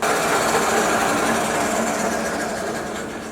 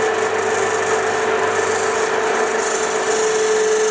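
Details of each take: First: 1966 Soviet Stanko 1A616 lathe, spindle in low gear around 140 rpm: steady rapid gear chatter near four beats a second, no grinding or knocks; turning smoothly. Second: 1966 Soviet Stanko 1a616 lathe running in reverse, rubbing noise: a harsh continuous scrub over a steady mid tone from underneath; the belt is suspected to be rubbing on something.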